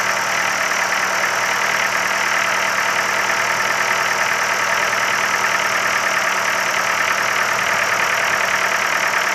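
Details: Ford Focus 3, 1.6 L 125 hp engine at steady idle carrying a loose, slightly irregular knock at about three per second over a hissy top end; idle knock, cause undetermined.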